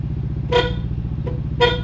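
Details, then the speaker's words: Yamaha NMAX after replacing weak battery that caused no-start and speedometer restarting: two short clear horn toots over a steady idling engine; horn works normally. "bisa apalagi ini ya udah pasti bisa tadi aja bisa kan eh hazat lampu utama hazat klakson bisa semua ya"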